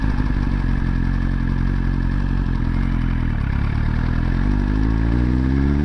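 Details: 2022 Suzuki GSX-R1000R at idle: even idle with a light, fast tick in step with engine speed, more noticeable later on; the owner asks whether the top-end ticking is normal on these new bikes, and the cause is unclear.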